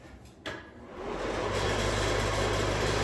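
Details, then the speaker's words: Bathroom ceiling light with attached exhaust fan hanging down with a gap, apparently held by one screw; click at switch-on, steady fan hum with fast buzzing rattle until switch-off; loose mounting rattle. "there's like a gap here, and when it turns on, it like rattles and it looks bad and it sounds"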